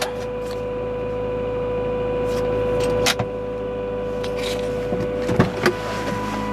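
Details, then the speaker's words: 1995 Honda Accord after a new battery, engine off and key out: a steady fixed-pitch electric buzz from one area of the car, the headlight washer pump energised and humming. "par contre, il y a ce bruit de buzzer là. Ça vient de cette région-là."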